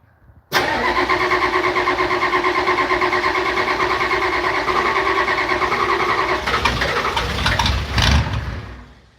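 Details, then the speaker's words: Old IDI diesel, cold start after glow-plug warm-up: cranks and catches at once, then settles into a steady rough chugging clatter about three beats a second, normal. "Told you this thing chugs."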